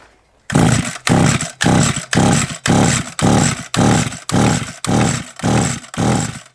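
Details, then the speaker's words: SGS Engineering 26cc strimmer fitted with a wire brush, choke on, spark confirmed: about eleven short, even buzzing bursts roughly a second apart, each cutting out as the engine fires but won't keep running; cause not yet known. "or not spoke too soon i spoke way too soon"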